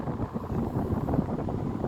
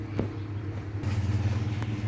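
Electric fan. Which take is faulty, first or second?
second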